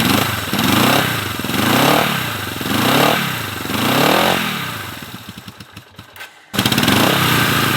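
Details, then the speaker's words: Honda CB450 barn find, first run after 20 years: twin surges and sags about once a second, then sputtering pops and nearly dies; both cylinders fine under throttle, suspected fuel starvation at fuel lines and petcock, not carb adjustment. "Seems like to me a minor adjustment needs to be made in the fuel lines and the petcock. It looks like there's not full fuel coming."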